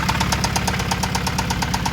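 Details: Acura Integra at idle, just after alternator replacement: sharp, even knocks about eight or nine per second over the idle. Owner suspects an internal engine knock needing a new engine; cause unconfirmed.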